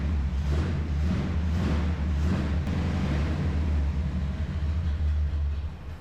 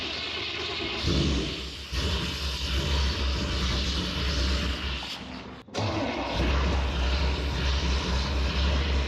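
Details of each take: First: 1974 Chevrolet C10 shortbed, revived after a dead battery and a blown coil: a low, uneven rumble sags and dies. No fuel reaches the glass fuel filter, only occasional spurts; stalling from fuel starvation, and they plan to push compressed air into the tank. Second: 1974 Chevrolet C10 shortbed, carbureted engine on choke: a steady, even low rumble with no stumble or hunting. It is the first idle since purchase, after a vacuum leak was fixed by replacing the vacuum port plug and the barb fitting; normal idle.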